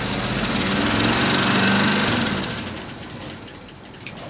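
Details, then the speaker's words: 1972 Ford F250 4x4 Highboy, sitting over 15 years, first start on fuel poured in, starter sounding bad, oil pressure present, radiator nearly empty: catches with a fast uneven pulse, some noise, then sags and fades, rough running. "I knew it would run. And we have oil pressure. Don't worry, we have oil pressure. I made sure of that. There's a little bit of noise, but it does run."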